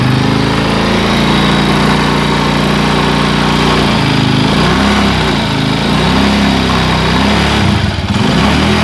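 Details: Honda Tiger motorcycle, engine recently rebuilt; revved up and down with coarse, rough buzz and uneven vibration at higher throttle, sounding like piston noise; cause suspected, not confirmed; rough engine noise when revved.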